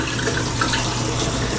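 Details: Washer in test mode after water inlet valve replacement for LF/F8/E1/LO/FL codes; softener dispenser fill, even unbroken water rush, no buzz or chatter; inlet valve filling normally.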